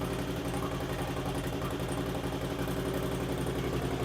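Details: 2008 Harley-Davidson Street Glide at first start after a Screamin' Eagle 255 cam install: lumpy V-twin idle with a light, quick tick riding each beat.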